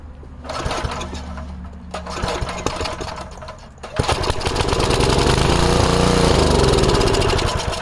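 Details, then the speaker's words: 5 HP Briggs & Stratton pulsa-jet carburetor on an MTD rototiller, fresh gas, air filter like new: primed, it catches, runs rough and surging, then stalls. Carburetor suspected, leaning toward a bad fuel pump diaphragm. "If I prime it, it'll start and run and stall. So, I'm thinking there's something wrong with the carburetor."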